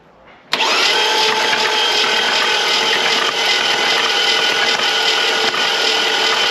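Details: Flood-damaged classic car after cleaning the battery terminals, earth and starter cables, with dash lights and spark present: steady, slightly uneven whirring crank for six seconds with no firing; cranks but won't start.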